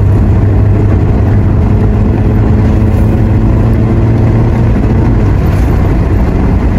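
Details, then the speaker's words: Honda Civic test drive after replacing engine, transmission and center mounts: steady low engine and road hum, no knocks, rattles or jolts; clunk and shift shock gone (blamed on worn stabilizer rubber and engine mount). "Alright guys, wala na yung kalampag, wala na rin yung shift shock."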